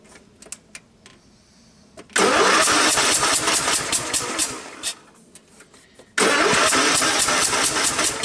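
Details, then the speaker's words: Craftsman LTX1000 tractor, 18hp OHV Kohler, hydrostatic, given a carburetor change, cranked without starting fluid: two bursts of fast, uneven starter cranking, no firing; cranks but won't start. Weak compression; owner suspects blown head gasket. "all right let's see what it wants to do to me it sounds like a blown head gasket what do you guys think"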